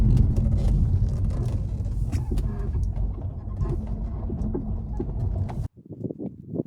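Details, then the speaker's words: Audi A3 8V driving on road: irregular sharp knocks and rattles over low road rumble, first blamed on blown front shocks but actually worn anti-roll bar drop links. "I later discovered that this noise is not the front shocks, it is in fact the drop links."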